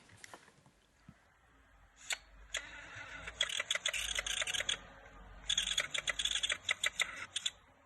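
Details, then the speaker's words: PSP handheld's UMD disc drive makes irregular high, scratchy chattering and squeaks as the disc spins up; the optical drive is screeching abnormally. "so my PSP started to make strange noises so let's hear it out"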